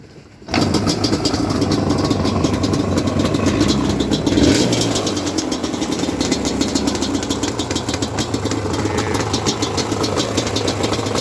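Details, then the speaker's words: Yamaha Banshee two-stroke quad after new exhaust clamps fixed the exhaust leaks, now sounding a little better; kick-starts first kick, then settles into a quick, crisp, even two-stroke idle. Normal idle. "i finally ordered these clamps for the exhaust right there so no more exhaust leaks it actually sounds a little better"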